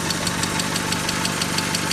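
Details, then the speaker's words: Mazda 626 FS engine at idle after reinstalling IAC and throttle body: sharp, even top-end tapping about six times a second over a smooth idle. Engine knock; 50% loss in cylinder #3 from a bad exhaust valve found, owner suspects head hitting valve. "it's got a little bit of a different sound to it now [Music] not a whole bunch of knocking noise like it was I can hear a knock down there"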